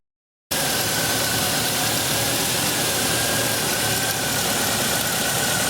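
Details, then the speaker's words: 2002 GMC Sonoma 2.2L with a P0410 secondary air pump code, running at idle while single-cylinder secondary ignition is scoped on cylinder one; uneven idle with an occasional dropped beat under a steady hiss; engine misfire at idle. "it's running and it's missing."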